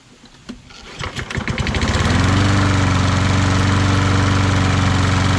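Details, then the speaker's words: Toro Recycler lawn mower with Kohler XT675 engine, after valve lash adjustment, draining overfilled oil that caused smoking, PCV cleaning and padding the front bumper that caused a vibration noise: starts after a few pulls, steady even thump, no rattle; normal running. "So we also fixed that bumper in the front, cushioned it, bent the front fender or bumper back out again so it fills that gap, put some silicone in between there, and now it doesn't make that vibration noise."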